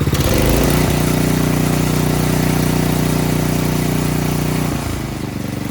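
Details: Craftsman snowblower single-cylinder engine after a new carburetor and fuel line were fitted: it catches and settles into a steady, even idle with a smooth low thrum and no misses or knocks, running normally.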